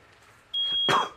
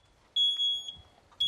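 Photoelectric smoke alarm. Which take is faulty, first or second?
first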